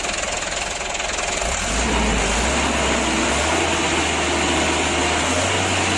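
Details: Mitsubishi Canter diesel truck after adjusting fuel load, governor and idle to cure hard starting; catches within two seconds, steady even idle with no misses or hunting; normal diesel idle.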